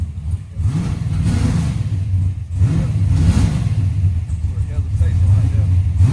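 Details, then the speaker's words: Big-block Chevy, warm, during carburetor intermediate-circuit tuning: V8 blipped repeatedly, revs sag and stumble briefly as the throttle opens; owner attributes the transition hesitation to running too rich and plans a smaller jet. "It go so rich. It's a little hesitation cuz it go so rich."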